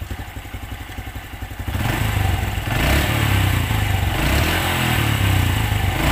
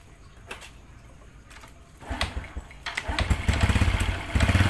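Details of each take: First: Honda Absolute Revo after replacing worn centrifugal clutch shoes: small engine revs up and settles back with a smooth, even beat; the earlier clutch-area knocking is gone. Normal idle. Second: Honda Absolute Revo scooter idling: loose, uneven metallic clattering knock from the clutch area under the low engine thrum, caused by worn centrifugal clutch shoes (kampas ganda).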